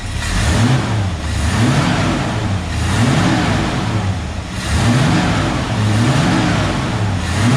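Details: Ford XW GT Falcon V8 with Holley carb after accelerator linkage adjustment so the throttle now opens fully: deep blips up and drops back cleanly every couple of seconds with no stumble; responds much better, healthy revving.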